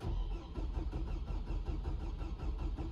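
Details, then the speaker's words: 2007 Hummer H3 cranking but not starting: starter churns at about one beat a second and the engine never fires; owner thinks the sunroof was left open and water may have got in. Cause suspected, not confirmed. "and I don't know if you can hear that but the vehicle is cranking but not starting"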